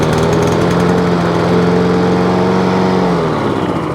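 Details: Free scrap lawn mower, after fitting a new spark plug: loud steady tone that sags and changes pitch near the end, hunting unevenly. Owner suspects carb assembly jumped onto choke or carburettor linkage not opening and closing properly; unconfirmed.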